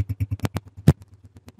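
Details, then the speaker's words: Honda CG125 motorcycle after silencer nuts properly tightened; low single-cylinder thump about nine beats a second, steady timing with no hiss or leak: perfectly smooth, normal exhaust note. "बिल्कुल ही perfect smooth sound है"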